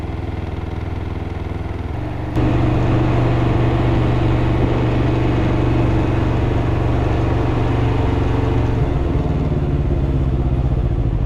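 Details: 2021 Can-Am Ryker 600 at idle: steady regular low knock, about four per second, holding evenly; engine knock, cause unknown.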